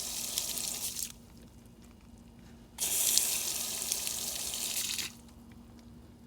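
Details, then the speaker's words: LG front-loader washer with no-fill complaint, inlet valve energized for testing: strong, steady hiss of rushing water that starts and stops cleanly. This valve flows normally, unlike the weak one. "now look at the flow of water see that that's a good valve working good very strong"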